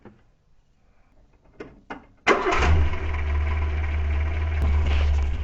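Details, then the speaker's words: Renault 4L with Cléon 1108 cc engine, first start after fitting an electronic ignition module to the points in place of the condenser: a few short cranking bumps, then it catches at once into a steady, even low idle; wiring correct. "Si ça démarre, c’est que déjà on a tout bien branché."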